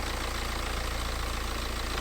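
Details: BMW 318d E90/E91 N47 facelift 2.0 L diesel idling after replacing the failed, leaking, rattling water pump and refilling coolant. Steady clatter with an even, regular beat, no uneven knocks or hunting; idling normally.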